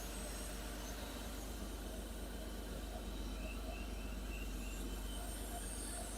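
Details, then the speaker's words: 1990 Porsche 911 (964) C4 flat-six, first start after full engine rebuild, cold: quiet steady low idle, even smooth note, no knocks or ticks; sounds good, expected to loosen up as it warms. "yeah yeah sounds good I mean it'll loosen up as it warms up and everything starts to expand obviously"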